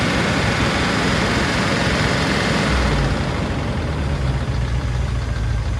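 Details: P38 Range Rover V8, stuck valve/lifter after sitting all winter, running poorly, fresh oil with Liquid Moly and Rislone added, warming up at idle: loose uneven chatter over rough low rumble, mostly right side; sticking lifter suspected.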